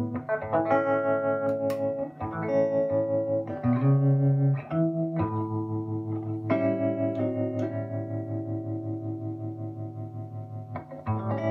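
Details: Early-1960s Davoli D531T tube guitar amp after the whole tremolo circuit was replaced (tremolo previously dead): chords ring with a steady, even pulsing volume swell. The tremolo is working normally.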